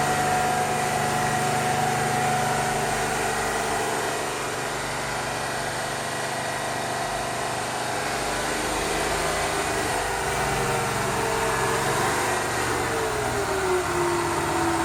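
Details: GMC New Look "fishbowl" transit bus, first start in a year: even diesel idle with a steady drone and a faint whistle sliding lower near the end, a little smoky; engine sounds good.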